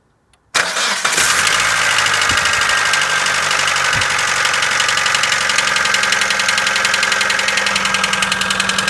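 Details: Mitsubishi 4G94 engine on a cold start: fires up into a fast idle with an irregular metallic knocking over it; source not pinned down.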